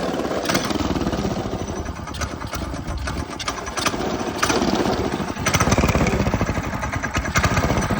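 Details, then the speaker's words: Go-kart small engine after installing a new 30 mm carburetor: revs freely with quick crisp throttle response and steady rattly exhaust beat, no misfire or stumble; runs healthy with much more power. "a it's running good seems like it's all working it has so much more power"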